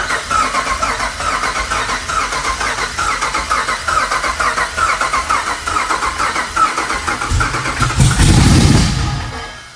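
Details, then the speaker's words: Cammed 5.7 Hemi Jeep Grand Cherokee with new tune, cranking around 200 rpm at about three and a half pulses a second, some beats rushing faster; fast ones suggest no compression on those cylinders, suspected, not confirmed; uneven cranking. "You can hear the difference. It goes the ones that are really fast sounds like there's no compression on those cylinders. The ones that are slow are how it should sound."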